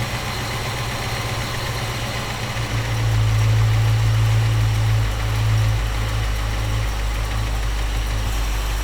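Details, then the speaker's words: Freshly installed small-block Chevy V8 in a panel truck during carburetor base tuning, temperature good: steady, low, even idle set to about 650 rpm with 18 inHg vacuum, no knocks or misses; normal idle. "We'll call that 650 and we're going to call that 18 inches of vacuum."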